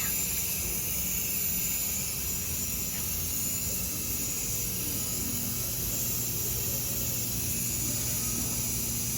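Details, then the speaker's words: Brand-new narrow-gauge KTR 450 at factory inspection, air pressure built up: constant sharp hiss over a low machine hum from under the cab; air leaking at a solenoid found loose, not even tight, to be tightened. "Next, we have an air leak somewhere under the cab."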